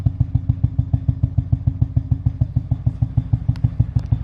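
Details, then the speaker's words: Mazda FD RX-7 rotary, after fuel filter change and no-start troubleshooting, now starts straight away but idles extremely low with slow, heavy lumpy pulsing, dragging until it stalls; very low idle then stall. "but now the thing that i'm it's a bit worrying is that the idol is extremely low"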